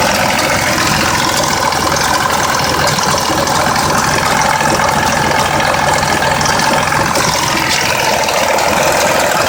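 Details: 2004 Mazda 6s 3.0L V6 with 170k miles, new plugs and coils, and recently replaced, nearly clogged pre-cats. Rough idle with light ticking and rattle. A bank 2 VVT solenoid needing replacement is suspected; the cause is unconfirmed.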